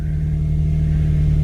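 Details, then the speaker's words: 2006 Infiniti G35 coupe after fitting correct crankshaft sensor and OEM throttle body. Low, steady idle holding an even beat, no misses or cut-outs, running smoothly on its own. Normal idle. "Isn't that crazy? All this car needed was a correct crankshaft sensor, a OEM throttle body, and you have a running and driving vehicle."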